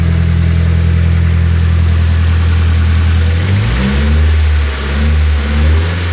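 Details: Nissan SR20DET after replacing a faulty timing chain tensioner that let the chain hit the top guide rail. Even idle, then clean blips up and back down with no chain slap or rattle; timing chain now quiet.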